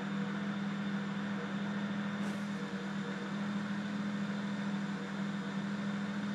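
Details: BMW 335i rough idle: steady low idle drone with a slightly uneven, wavering beat, hunting between about 800 rpm and dips as low as 650; rough idle.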